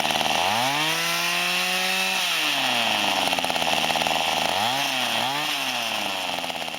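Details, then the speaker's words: Mantis SV-4B Type 1E two-stroke tiller (mid-1990s to early 2000s) after Zama carburetor rebuild: buzzy engine picks up cleanly, holds revs, drops and blips again without stumbling; normal running. "now that's the sound of a working carburetor hell yeah not bad 15 bucks"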